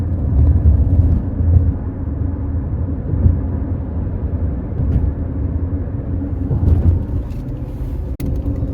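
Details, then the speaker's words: Worn Kumho Crugen HP51 tires on a 2019 Toyota RAV4 after about 30,000 miles, heard from the rear while driving: a low droning cabin hum that swells and fades in a slow wow-wow rhythm; hard rubber compound, small cracks, being replaced with Michelin Defender2. "These tires are driving me nuts. They're making a humming noise."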